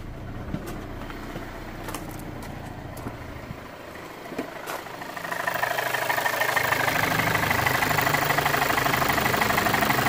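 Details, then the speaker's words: Audi A4 B8 1.8T, hard to start and running poorly, idling just after starting: rough, surging idle with the engine rocking and a light rapid tapping from the top end, about three per second; mechanic suspects a timing fault, not confirmed. "But you can hear definitely that sort of tapping. Not knocking really, it's more a tapping at the top of the engine."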